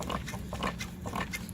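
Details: Tilting (cambering) trike rocked side to side, brakes released: rapid grunting squeaks/creaks from the dry plastic bushing between center part and yoke at the pivot; fix is oiling it and working the mechanism until noise disappears.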